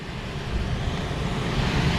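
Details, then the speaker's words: HVAC unit at a mall store on EMS control, no-cooling call at 68°F outside: motor running with belt present, steady soft rush of air and even low rumble, no knocks or squeals; blower just quiet, operating normally. "Oh no, we've got a belt. All right, we've got air moving. It was just quiet."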